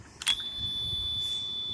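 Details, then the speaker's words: Electronic refrigerant leak detector tested with a little gas on a new Luxaire rooftop air conditioning unit (low pressure control stopping compressor): sharp beep then steady shrill alarm tone; leak found in condenser coil. Refrigerant leak detector alarm. "this is how it works you hear that I just put a little gas out to test it and you can get this on here okay just a little gas that's how I find a leak just electronic leak detector"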